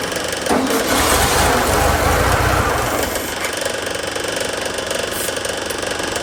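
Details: 1972 VW Super Beetle air-cooled engine, long stored: steady starter churn at about four turns a second, no firing. It cranks but won't start; the carburetor's fuel squirt has been checked and the cause is unconfirmed.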